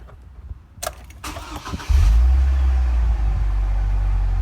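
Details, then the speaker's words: H3 Hummer with key security/recognition cranking-but-no-start problem: trying a particular way of turning the key, it cranks briefly, catches straight away and settles into a steady, even idle. "see it started right up so anyway uh good luck give it a shot uh see what happens if it works uh shoot me a message y'all have a good afternoon"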